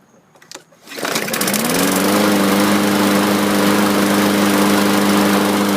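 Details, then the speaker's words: 2015 Yard Machines self-propelled mower, Briggs & Stratton 550E, after flywheel key replacement and carburetor cleaning: slow start, catches after a couple seconds, then rpm fluctuates slightly; owner suspects ethanol fuel residue, carburetor not fully cleaned. "And it starts kind of slow. When you last heard that start up, it kind of takes a couple seconds before it catches, and then there's a slight running issue. It's not tip-top."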